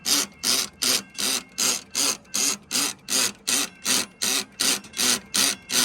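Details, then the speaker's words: Model 3590 railroad crossing gate mechanism: loud even rhythmic hissing pumps about 2.5 per second; loose, over-spaced bottom screw lets plate move so pawl can't hold toothed wheel and gate slides; ratchet pawl slipping. "And there is a component that grabs a tooth of that gear to keep the gate up. And if this is spaced out too far, it'll cause it to slide. And that is what causes that loud pumping malfunction."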